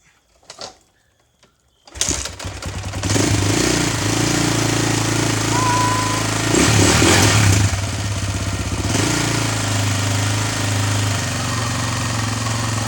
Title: KTM exc 525 first start after engine repair